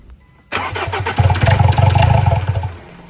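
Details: Ford Ranger crank-no-start with strong fuel spray confirmed and no trouble codes: even cranking about three to four beats a second for two seconds, never fires; cause a faulty camshaft position sensor.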